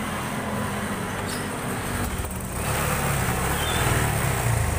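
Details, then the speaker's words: Honda Supra 125 fuel-injected motorcycle, no MIL code, plug checked and ECU reset without effect: uneven, limping idle with irregular stumbles. The cam chain seems to have been installed wrong; fuel pump or injector not ruled out. "Ini kita geser ke atas, soalnya kayaknya salah ini masang ketengnya orangnya atau bengkel yang sebelumnya ini masang, jadi suaranya pincang-pincang. Pemasangan keteng yang salah juga bikin motor nggak normal ini."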